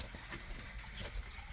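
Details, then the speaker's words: Boiler heating system after a no-heat repair, returns reopened and call for heat restored: zone valves calling, circulator running, gurgling rushing water with bubbly splashes as trapped air moves through the hydronic pipes toward the high vent. "So we're getting a little bit of noise in the pipes. You can hear it because we got some air."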